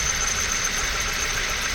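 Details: 1998 Honda CR-V cold idle: thin steady high-pitched squeal, absent when warm, worse below -5C, never heard in warmer months; owner suspects a belt-driven pulley (thinks condenser pump pulley); cause not confirmed.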